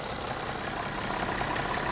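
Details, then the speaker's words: Car idling after a cylinder 5 misfire was resolved. Low, even idle hum with no stumble or missing beats over shop background noise. Runs fine; the misfire is fixed: normal idle. "I mean it it runs fine I let it sit here ID for a little bit"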